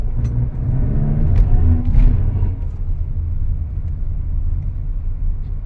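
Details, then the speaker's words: Mitsubishi Xpander noisy when pulling away: deep thumps under a low engine rumble during the test drive. An apparently broken engine support (mount) lets the engine hit, and vibration was confirmed by hand on the mount. "parang sira yung support pumapalo pero tingnan pa natin"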